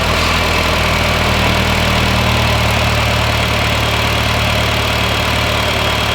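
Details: 2010 Honda Fit after alternator replacement, old unit at 100,000 miles with split case; steady, even idle with smooth low hum, no knocks, ticks or squeals, charging 14.8 volts. Normal idle.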